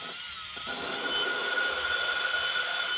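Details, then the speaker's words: 1997 Land Rover Discovery cylinder head valve lapping with a low-speed drill and water-based compound: steady fine hiss shifting from chunky grinding to smooth as the valve seat beds in. "hear that smoothing? It goes from more of a, you know, like a chunky sound to more of a smoother, more, I don't know. And I can feel it with my left hand. I can feel it getting smoother."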